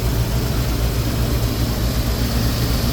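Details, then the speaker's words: 1985 Ford F700 dump truck with a gasoline V8, believed to be a carbureted 460, and a 5-speed manual, idling. A deep, steady rumble with even pulses and no misses; it sounds like it is running on all eight cylinders. "motor sounds good sounds like it's running on all eight cylinders"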